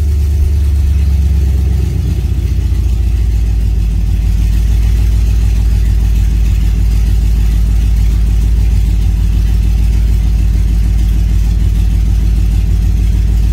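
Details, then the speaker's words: V8 truck with a Holley Sniper EFI and a newly installed, modified throttle body, warm start: a deep, steady, even idle with no misses, lope or ticking, a healthy warm idle. "It's not a cold start, it's a warm start. So, and see where we're at. That sounds way nice, eh?"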